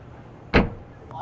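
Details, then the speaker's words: 2013 Honda Accord (smart entry) trunk that intermittently wouldn't open by remote or switch, after actuator and switch tested good: single sharp clunk as latch pops, faint settle; release works again via remote and trunk switch. "and now take your remote and there you go it's working again and using the trunk switch it also works"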